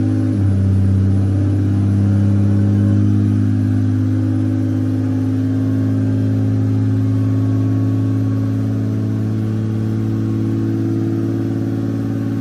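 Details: Toyota VVTi 2JZ-GTE after throttle delete conversion, warming up, target idle 650-700 rpm: steady elevated hum holding around 2,000 rpm, never settling; resistance test showed failed throttle position sensor, replacement awaited.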